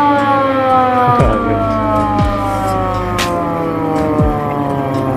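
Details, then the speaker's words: VW Kombi Bay Window ambulance with its original factory siren, rotator lamp on: a loud wail sweeps steadily up and down over a faint engine, sounding strong; normal siren operation. "Wow yaitu tadi teman-teman sekarang rotator dan sirine VW Combi ambulans yang masih original Bawaan nya serem juga suaranya"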